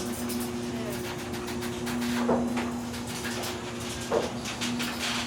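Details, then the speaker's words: Chamberlain 1.25 HP smart garage door opener opening the door: a low, steady hum with soft door rumble and a couple of light creaks; the opener runs quietly and evenly, and the door itself may need oiling. "Notice how quiet it is. It's super, super quiet. The only thing you hear is the sound of my garage door, which it probably needs to be oiled, but it's super quiet."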